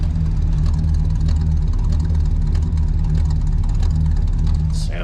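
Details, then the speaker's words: 1974 Ford Country Squire wagon V8 idling with a steady, even low burble and no misses, knocks or ticks. It runs nicely despite burning a lot of oil. "cool it's a it's a nice running car"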